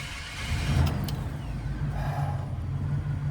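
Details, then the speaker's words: 2000 Chevy Express van after repairing a crank no-start (crankshaft position sensor diagnosis): engine cranks and fires without hesitation, then holds a steady low rumble with no misses; now starts normally. "It runs. Holy freaking crap balls, I'm so freaking happy right now."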